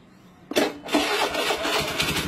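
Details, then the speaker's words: Honda Beat FI scooter that only clicked on the starter despite a good 12.42 V battery: with the starter jumped directly it cranks sharply and the engine catches at once into a steady idle; starter motor and bendix are fine. "Nah, motor hidup ya. Kita ulangin. Tidak ada kendala di bagian dinamo starter, bagus ya."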